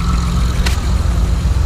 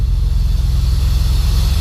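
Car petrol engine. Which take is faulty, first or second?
second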